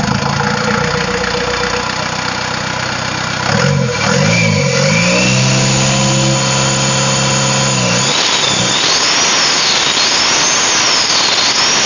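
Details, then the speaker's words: Mitsubishi Canter turbo diesel, first start after rebuilding a turbo that leaked oil and caused oil loss, intercooler still off drying: starts, revs, high whistle climbing and wavering with throttle; healthy turbo whine after repair. "ya suaranya makin menjerit ya untuk suara turbonya makin menjerit"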